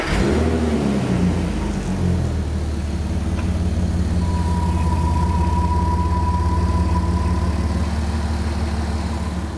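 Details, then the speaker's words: Porsche Cayenne with rough idle (worst when cold), restart after carb-cleaner fix: steady even deep idle, no hunting or stumble, revs holding level; normal idle, cold start still to be checked. "revs look stable. Yeah? The proof will be in the pudding when I do a cold start on it, because that seems to be when it presents the worst rough idling, if you can call it that. But at the moment, it seems very good."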